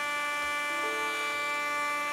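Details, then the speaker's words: 2019 Acer Predator Helios 300 PH315 laptop used for mining, with a burning smell: harsh, steady raspy buzz from the cooling fan, no change in pitch, a failing fan bearing; fans replaced. "that is a gnarly noise"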